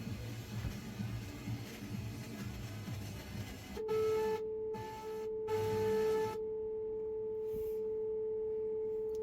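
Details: Advance P1 RF signal generator set to 100 MHz FM, picked up on a radio via a wire antenna: clean steady mid-pitched tone after tuning noise, briefly interrupted then holding; modulation works properly.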